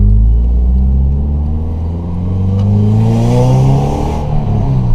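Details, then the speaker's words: 2009 Subaru Impreza with lack of power being diagnosed, exhaust recently changed. Deep, even exhaust note rising and falling smoothly with throttle, no misses or rattles: normal revving. "Sounds decent. It sounds really decent. You actually hear the Subaru in this one compared to mine."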